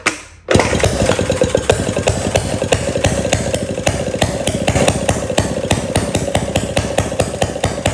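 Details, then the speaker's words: 1937 Maytag Model 92 single-cylinder two-stroke after cleaning the gas tank and mixer and fitting a new spark plug: quick catch, then an even rapid string of sharp firing pops with no misses; runs well. "It runs and it runs really well. It uh it didn't fight me at all."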